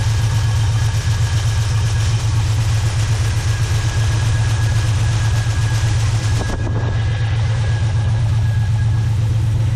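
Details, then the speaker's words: Car with rebuilt carburetor, new fuel pump replacing a failed Delphi unit: smooth even idle with steady firing pulses about four a second, no knocks or misses; new pump gives high, almost too much, fuel pressure; normal idle. "long and now from experience I'll say much better than the deli pump the deli pump was only a few pounds of pressure this one's almost too much pressure but maybe it'll simmer down in a little while"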